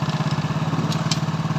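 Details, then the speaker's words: Hero Splendor Pro single-cylinder motorcycle after full engine rebuild, shifting from neutral through gears one to four; low even pulse with no clunks or grinding entering gear, gears working perfectly; normal running. "तो gear हमारा perfect यानी कि बहुत ही सही तरीके से gear काम कर रहा है, ना तो हमारा हार्ड लग रहा है और ना ही कुछ प्रॉब्लम है गियर के अंदर।"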